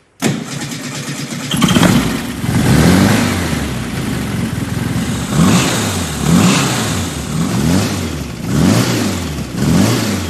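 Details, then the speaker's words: Engine started after syncing both carburetors, tightening the throttle linkage and mounting the coil: it fires straight away, throttle blips rise and fall cleanly, and the idle is even and crisp. Normal running after rebuild. "Hey, that's good. Sounds like a whole new engine."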